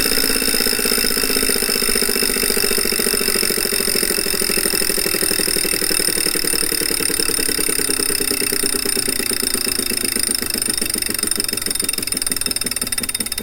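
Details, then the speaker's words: Refurbished replacement 2018 Wahoo Kickr trainer, microphone beside the flywheel while spun up: loud steady whir with high whining tones and fast rhythmic pulse, far noisier than it should be; no vibration, so probably not unbalanced, cause unclear. "that's actually not how it's supposed to sound it isn't supposed to make much noise this one doesn't make the bike resonate though"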